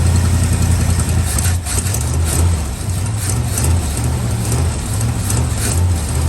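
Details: Old truck V8, cold idle after starting: even, low burble with no knocks or misses; runs and drives. Normal idle.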